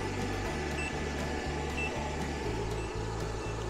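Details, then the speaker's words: Solorage X 12V 100Ah LiFePO4 battery at the end of a capacity test through an inverter with a heater load, about 100Ah and 1,247Wh drawn. The inverter gives short high beeps about once a second over a low pulsing hum: a low-battery alarm near depletion. "so we have fully passed the capacity test oh we hear the inverter beeping up over"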